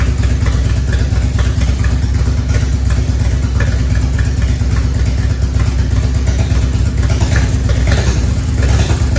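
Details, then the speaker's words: 1994 Harley-Davidson Evolution V-twin, over 70,000 miles, first start after top-end rebuild for a base gasket leak; steady even idle, compression sounds great, faint tick from the exhaust since the torque cones aren't seated yet, no ticking in the motor. Normal idle. "they were coming just from the exhaust no ticking in the motor uh compression sounds great"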